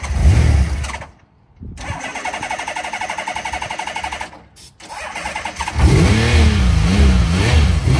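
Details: Honda CBX motorcycle's first start in at least 5 years, after charging the battery and using starter fluid: the starter cranks, the engine catches and dies, then fires again and runs with uneven, wavering revs. A hesitant start after long storage.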